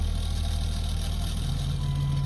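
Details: 1999 Dodge 2500 5.9 24V Cummins, below-zero Iowa cold start after about a month unused, with jumper pack: low heavy diesel idle that lifts in pitch as it catches; rough cold start, cause unconfirmed.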